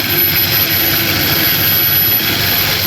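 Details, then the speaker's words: Toyota Avanza, engine running: coarse hissy rumble with no clear knock that grows louder as engine speed rises; rough bearing on the belt drive suspected (tensioner), not confirmed; fan belt has fine cracks. "Bunyi kasar saat mesin hidup dan semakin keras bunyinya saat putaran mesinnya juga semakin cepat."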